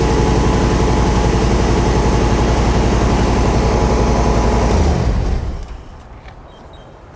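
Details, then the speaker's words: Classic automatic that sat for years, idling after a fuel system flush: steady even low rumble, only a slight tap, no belt squeal, then a clean shutdown; normal idle. "wow sounds good yeah only a minor vibration at start very little starting to hear just a little bit of a tap belts and all aren't squeen"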